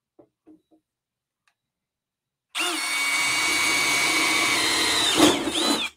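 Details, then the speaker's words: New Milwaukee M12 FUEL gen 3 1/2" drill/driver, brushless, cutting with a hole saw: about three seconds of steady, even motor whir; runs smooth and healthy. "and smooth man that's a good looking little drill I'll say that"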